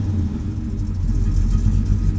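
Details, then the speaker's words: 1966 Dodge Charger fastback with a replacement 440 Chrysler wedge engine (originally a 360) and Flowmaster exhaust, at startup: a deep V8 rumble with a gentle, uneven lope from a mild cam, steady and strong. Healthy. "I like the sound of the flow Masters and it's got a little cam to it so it's got a little bit of a bump"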